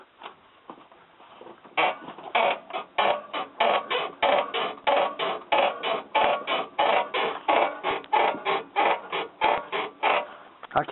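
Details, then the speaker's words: 2000 Dodge Ram pickup with 199,245 miles, probably mostly highway: sharp rhythmic squeak about 1.5 per second as the front end works; owner unsure whether upper control arm frame bushings or upper ball joints with ripped boots, likely original and ungreasable. "can't really tell if that's coming from like the upper control arm bushings here where they bolt on the frame, or if it's coming from the upper ball joints, or what's going on."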